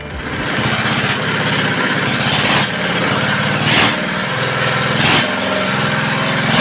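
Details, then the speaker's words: R180 single-cylinder diesel after crankshaft replacement: steady chug at even speed with louder bursts about every second; oil pressure indicator now normal, unlike before when oil was very thin; runs normally. "ternyata indikator olinya ini sudah sama dengan mesin diesel pada umumnya ya. Berbeda dengan sebelumnya."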